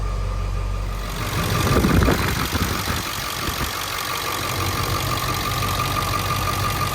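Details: 7.3 diesel truck after high pressure oil pump replacement, reservoir pre-filled: catches after short crank and settles into steady even idle clatter, no misses or knocks; runs healthy.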